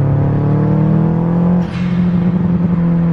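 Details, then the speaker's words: Subaru STI turbo flat engine after up-pipe gasket installed, exhaust now routed fully to rear: deep steady burble with brief rev blip; normal exhaust note. "Other good news is we got the uphive gasket on. And oh my God, it sounds amazing again."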